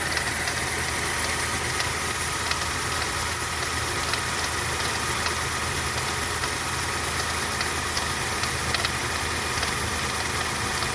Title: FZJ80 F80 1995 Land Cruiser engine knock